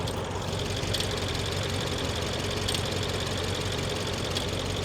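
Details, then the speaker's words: 2011 BMW X6 M at idle, engine bay: fast uneven metallic rattle over a slightly rough idle with an occasional miss; a loose timing chain is suspected, not confirmed. "To me that almost sounds like a timing chain. Can you hear it kind of rattle? Yeah, she's she's a she's running a little bit rough."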